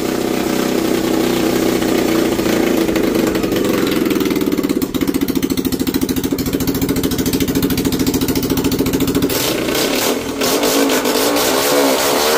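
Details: Small engine fitted with a carburettor replacing a throttle body/injector, on 20% ethanol petrol: loud running with an uneven beat, stumbling and dipping around ten seconds; misfire, owner blames carb overflow, mismatched wiring and ethanol, unconfirmed.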